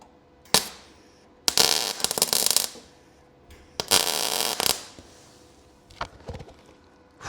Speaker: So yeah, you can weld directly, okay, to this metal. Um but honestly, in my opinion, it's a pig. I'm not a fan of it. I don't like it. And I should have not been lazy and taken the paint off, but never mind.